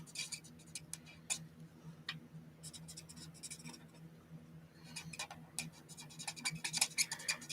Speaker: you hear that squeaking yep that's when it's a telltale sign now that it's running low